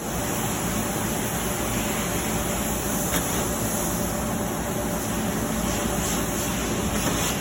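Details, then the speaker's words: Marvair wall-mount AC unit after replacing a faulty Coollinks control board that caused a communication alarm. The compressor fires up after a delay, and a steady blower whoosh with a low compressor hum follows, with no rattles; it is working properly. "there would be a delay there it goes fired up wow"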